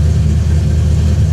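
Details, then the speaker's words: True cold start, about 50°, of a V8 on an ACES Killshot fuel-injection kit whose cold start isn't tuned yet, with no throttle input: a steady, deep rumble at a raised cold idle with no misses or knocks, a normal fast idle. "but here's a true cold start this thing is ice cold let's see I may have to give it some throttle cuz like I said we've not tuned this part yet"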